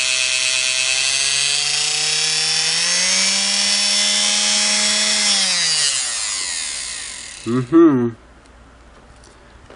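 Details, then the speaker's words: Singer Model 99K sewing machine RF5-8 motor after restoration with brushes/carbons replaced and commutator cleaned, test run before pulley is refitted; smooth high whine climbing to steady pitch then winding down evenly, no grinding or rattle; normal motor run. "good, huh? Sounds nice."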